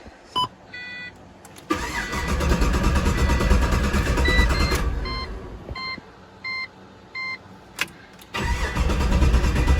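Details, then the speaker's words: Pontiac GTO cranking at about three turns a second in two long spells and never catching; no fuel pressure with the pump running, caused by a faulty fuel fitting, not the hose. "Don't start. No fuel pressure. I it wasn't the hose, it was the fitting the whole time."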